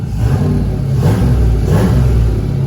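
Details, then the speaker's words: Turbo 6.0 V8 Caravan with 4L80E, warming up: deep even rumble with a couple of light blips, no knocks or ticks, lots of smoke said to be normal; healthy cold engine warm-up. "Man, it sounds good. Oh, that's a good sounding engine. Oh, I love it. Makes a lot of smoke, but that's normal."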